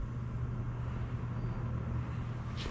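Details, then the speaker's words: Old blue Kmart box fan bought in the early 80s, taken as-is and not yet cleaned, running on low: steady, even low hum with no rattle, scrape or wobble; works fine though the grille needs fixing. "So yeah, it works pretty good."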